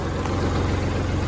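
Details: Kubota tractor diesel that wouldn't crank despite power and good fuses, now running after a jumper wire bypassed the weak ignition/start switch: even, rapid clatter at steady idle, no stumbling or extra knocking; normal.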